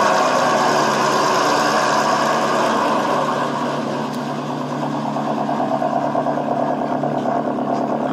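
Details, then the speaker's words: Nissan SR20DET in an S14 after rod bearing replacement: idle with a light, fast, steady ticking over the top from drained hydraulic lifters that need bleeding. "So I changed it. I changed the bearings, and this is with the noisy lifters. And I know that because I have a before and after of this also. This is the lifter tick."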